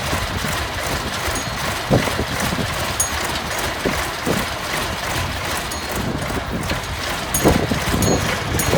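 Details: Junkyard Massey Ferguson 1155 tractor, long parked over a hydraulic issue, freshly restarted: steady even diesel idle with a regular low chug, no knocks or misses, good oil pressure; engine sounds healthy.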